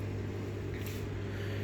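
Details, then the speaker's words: Samsung top-load washer (about 11–13 kg) after fix, spinning in rinse cycle with a steady low hum and no drum banging; previously drum banged side to side during spin. "So when it hits on the rinsing function, the water starts to come out of the pipe and then it starts to spin. So as you can see this spinning uh right because I fixed it."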